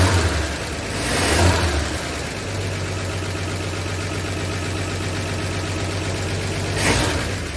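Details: 1959 NAPCO Chevy Apache 1-ton, freshly rebuilt 235 six-cylinder at first startup after oil prime: no leaks, oil pressure up, fires right up into a deep, steady, even idle with no knocks or ticks; normal idle.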